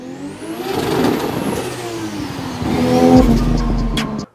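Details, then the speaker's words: 1JZ-swapped RX7, engine warm/hot: cylinder one exhaust valve cap shattered, jamming and snapping the cam gear; revs rise and fall harshly with sharp snaps, then engine dies abruptly. "as soon as the vowel cap shattered it was spinning to the point where it jammed the cam gear at the diesel that's why you hear the cam gear snapping the cam was still spinning the cam gear stopped but the rest of"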